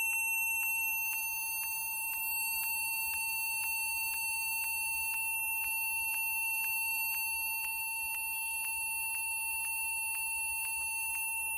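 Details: Acer computer: steady high beep repeating about twice a second without pause from power-on in a quiet room; continuous startup beep of unknown cause.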